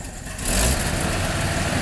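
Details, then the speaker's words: Carbureted engine after air cleaner vacuum leak fixed by tightening hardware: a little throttle, then a steady even idle without stumbling or dying; needs choke and a couple of tries to start. "This thing runs smooth now. I just have to choke it and give it a couple tries to start it."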